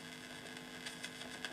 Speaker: These old transistor amps, the early transistors, weren't as quiet as valves. And with no input signal, you do get a bit of background hash.